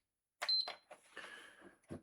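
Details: PS5 console, tested after clearing codes: one short, clean high beep at power-on, no triple beep, then a blue light, a white light and an image; the console starts normally.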